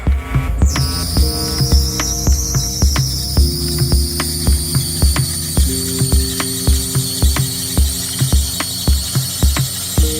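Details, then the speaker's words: Nissan Silvia S15 200SX at start-up: loud piercing high squeal for a few seconds from loose power steering belt, tensioner bolt missing; needs tension set properly. "so that sounds pretty horrible and I've been told that it needs to um have the power steering pump fixed up so the tensioner bolt is missing"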